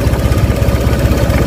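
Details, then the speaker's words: Honda Vario Techno 125 scooter fitted with smaller injector (Vario/Beat 110 type) and 2 kΩ jumper; even, steady low thumping idle with no misses or surging; holds slow stable idle without dying, though throttle response slightly poor. "Langsamnya nggak mati-mati tuh, tapi kecil ya."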